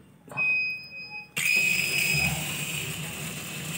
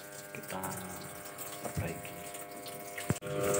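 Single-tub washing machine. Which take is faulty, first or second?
second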